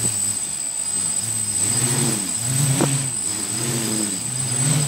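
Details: DJI Flame Wheel F550 hexacopter on a 4S battery with DX8 transmitter, motors armed during setup: steady whir, pitch swelling and easing every second or so as they correct tilt, then settling; healthy motors.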